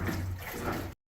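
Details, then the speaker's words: GE GTUP270EM5WW stacked washer/dryer combo after repair for loud grinding from the washer, running a test load: water swishing and sloshing over a low steady hum, no grinding left; normal wash cycle. "And as you can probably hear, it sounds a lot better than that grinding noise that it was previously doing."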